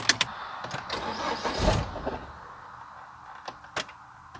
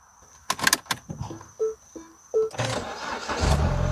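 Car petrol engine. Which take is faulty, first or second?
first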